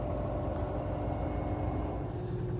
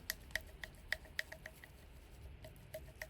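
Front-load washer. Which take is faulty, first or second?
second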